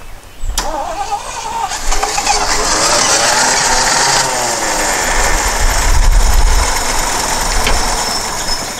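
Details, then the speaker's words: 1977 Jeep CJ-5 after sitting, spark confirmed, gas poured into the carburetor with no fuel system connected: the starter cranks, then the engine catches and runs rough and uneven for several seconds. "it actually runs it's probably it's going to run for right now because that is the hose from the fuel tank the fuel pumps down there well actually no yeah so that's anyway there's no fuel system hooked up here"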